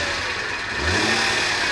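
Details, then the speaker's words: 2017 BMW M240i salvage car revved, heard from outside: busy metallic chatter over the exhaust; suspected heavy timing chain rattle, not confirmed. "oh oh man you know what that sounds like to me that actually sounds like a timing chain yeah sounds like a timing chain"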